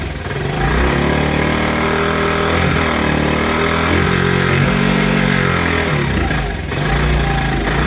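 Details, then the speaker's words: 1984 Honda ATC70 after being burnt in a bonfire, first run: small single revs unevenly, speed hunting up and down, never settling to a steady idle; the carburetor is bad. Owner plans a carburetor rebuild. "that look at there still runs carburetor is a piece of crap"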